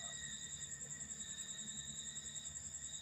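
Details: Polytron TV (flyback BSC 25-0223N, replaced with JF0501-19587) powers on to standby with indicator lit but won't start, emitting a steady high-pitched squeal with faint pulsing about three times a second; shorted flyback overloading B+.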